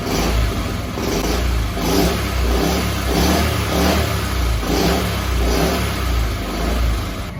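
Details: Honda Chaly CF50 small single, back running after long storage with oil changed and carb cleaned, revs in repeated blips, picking up cleanly and dropping back without missing or spitting.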